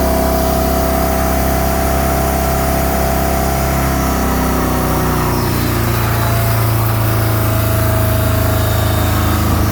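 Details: MerCruiser 3.0 boat engine with a frozen, cracked block from improper winterizing, idling: a rough, uneven puffing pulse around three per second pointing to an exhaust leak at the manifold.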